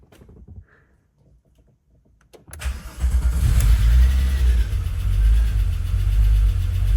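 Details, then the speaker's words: 1993 VW Golf VR6 after a no-start fixed by clearing blocked fuel injectors on the injector rail (fuel pump was fine); brief crank, quick catch, strong even run settling to steady idle; running normally. "so car is running this obviously hasn't been"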